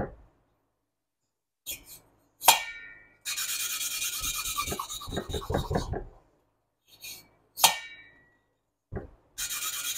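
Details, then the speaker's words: Hand lapping valves on a 1976 Porsche 912E Type 4 2.0 cylinder head: gritty, scratchy rasping in short bursts while the seat is not yet bedded in. "And you're going to start to hear it not grinding as loud. It's going to become quieter, quieter, and quieter."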